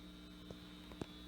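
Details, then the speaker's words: 1968 Farfisa Compact Deluxe combo organ on the bench, all tabs off: steady low mains hum under faint clicks from a noisy power supply; tired filter capacitors, fix planned by recapping the power supply. "you know you can already hear that humming noise when they're all of our tabs are turned off so we're gonna have to recap the power supply"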